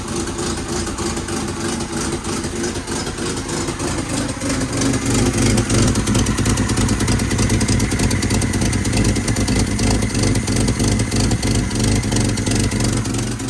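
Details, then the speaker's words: 1967 Volvo 122 Amazon that sat 35 years, running on its old exhaust: a loud raspy idle swells with revs, with a sharp chuffing edge on every pulse; leaking exhaust manifold/downpipe flange, before the 2-inch sport exhaust install. "You can see where it was all leaking in here. Yeah, it's no good. No bueno."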